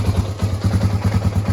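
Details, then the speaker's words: 1986 Honda ATC350X three-wheeler being refreshed, aftermarket exhaust header; slow, lumpy idle thumping about ten beats a second with a brief hesitation, idle set too low and to be raised, sounding more even afterwards. "think the idle's a little bit low. Yeah, I think we're gonna put up the idle a little bit."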